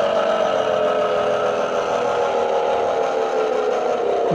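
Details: Mercedes B-Class Electric Drive (Tesla-sourced drivetrain), on-road recording: a steady mid-pitched hum rides over the road noise and drops in pitch as the car slows, pointing to worn reduction gearbox bearings, compared against a same-mileage car that is silent.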